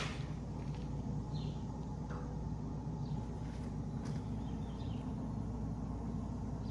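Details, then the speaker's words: 2004 Ford Focus SE with rear drum brakes, rear wheel spun by hand: low, rough, steady rumble from worn rear wheel bearing, getting louder with speed when driving; the other side is quiet. "And as you as you driving fast and faster, gets so loud."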